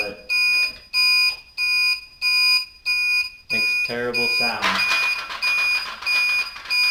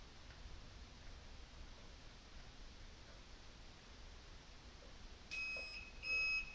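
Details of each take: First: Newly replaced blinker flasher relay on a bobber motorcycle, tested before reassembly: shrill beep pulsing evenly about once a second in step with the indicators; the relay works but chirps loudly, later muffled somewhat with electrical tape. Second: Bobber motorcycle, newly replaced blinker (flasher) relay in garage: couple of shrill high-pitched beeps in time with each flash from the relay's built-in buzzer; blinkers work but sound is terrible, before taping over relay.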